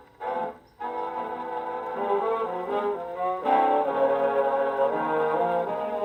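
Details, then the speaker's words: HMV 101 spring-motor gramophone after motor service, playing a worn big-band record at about 82°F: the music plays on, but the pitch sags briefly two or three times as worn spots drag the motor, which slows but does not stop. "Did you hear it slow up? It hit a worn spot 2 or 3 times in there. It did not stop, but it did definitely slow a little bit."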